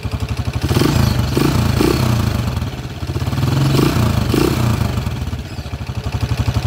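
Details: TMX155 single-cylinder motorcycle engine, timing gear already replaced but still noisy: uneven metallic clatter over the engine beat, swelling as revs rise, pointing to chewed timing gears; engine judged in bad shape and removed for teardown.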